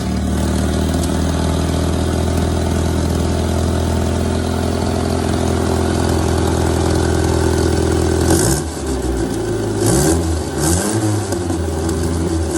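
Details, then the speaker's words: 1962 MG Midget MK1 engine running after a stuck throttle linkage was freed. A steady idle rumble, with pitch rising and falling cleanly on several throttle blips and no stumbling: normal running and revving. "And the throttle linkage was kind of stuck here. So I decided to loosen that up and fire it up. And lo and behold, it runs."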